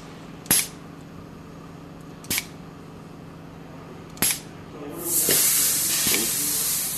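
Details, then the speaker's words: 1125 Variable Ratio dispensing machine in bleed mode with the tanks pressurized. Three sharp clicks, then a loud steady air hiss for a couple of seconds as it goes into recharge before returning to dispense. This is a normal cycle. "now it just went into recharge. That's what that noise was that you heard."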